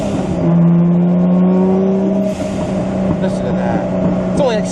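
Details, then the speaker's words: Toyota Supra with T56 manual, in-car on a downshift at only about 6 psi of boost: engine note drops through the downshift, then a short airy whoosh as boost vents off throttle; healthy blow-off valve. "only like 6 pounds of boost, it just has the best blow-off valve noises."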